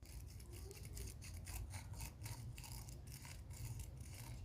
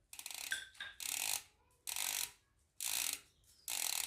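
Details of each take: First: Hope Pro 4 MTB rear hub, cassette and pawls removed, freehub turned by hand: dry, gritty rasping in uneven bursts; freehub bearing rough and worn, while the hub bearings were fine. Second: Hope Pro 4 rear hub after freehub service, with grease left on the pawls; crisp, fast, even ratchet clicking in short bursts as the wheel spins, the pawls engaging properly as they should.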